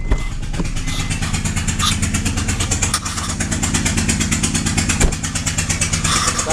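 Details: 2007 Honda Pilot first generation, O2 sensor bank 1 sensor 1 code: uneven run with sharp pops about twice a second, lawn-mower sound; misfire from a blown-out spark plug.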